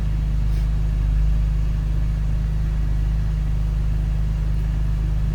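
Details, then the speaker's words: BMW E39 528i M52TU/M54 at first start after dual VANOS seals and anti-rattle kit replacement, not yet warmed up: a low, even hum holds steady with no dropping or hunting idle. "No dropping idle at the moment."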